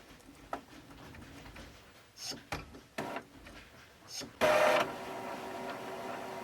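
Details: Epson ET-2710 printer/scanner, lid removed, after flashing two red lights following a scan; possibly locked up during Wi-Fi activity: light ticks and whirs, then a short loud sweep as the scanner carriage homes, no grinding; normal reset cycle.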